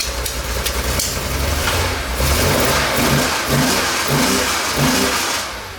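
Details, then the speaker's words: 1969 Porsche 911 T that misfired and lost power, after cleaning out the carburetor jets: engine catches and revs up and down freely with an even, steady note; idle and carbs still to be adjusted; normal running. "so i think we got it sounds pretty good idle's gonna be adjusted a little bit"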